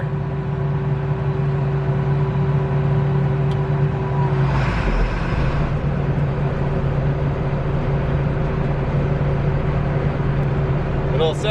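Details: Combine before harvest after servicing, rotor turning in first gear: steady low diesel drone with an even rotor whir, no knocks or squeals over the run; sounds healthy.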